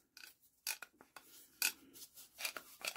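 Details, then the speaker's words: Barford Atom axle hub ratchet, found bone dry with no grease and then soaked with WD-40: crisp, light clicks in short irregular bursts as the hub turns, each catching cleanly. The pawls now engage every time. "it's working every time now that grease foreign would you believe it there you go"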